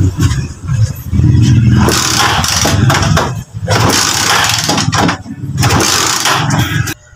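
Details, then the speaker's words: Rusi 125 motorcycle with carburetor refitted, repeatedly kick-started: engine turns over in bursts but never starts; spark present at high-tension wire, new spark plug; pulser/CDI connection to be checked next. "Ayun mga padreng Ayaw pa rin umandar Nakailang tadyak na"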